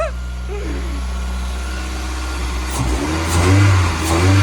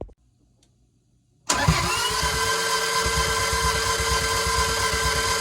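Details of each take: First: Toyota MR2 after manual conversion, starting after two months of no-start diagnosis: catches and holds a steady idle, then revs cleanly and settles back; normal start and rev. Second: Toyota MR2 engine after manual conversion and rebuild with swapped cam: steady, even cranking for about seven seconds that never fires, then stops; attempted fix failed, exhaust cam removed next.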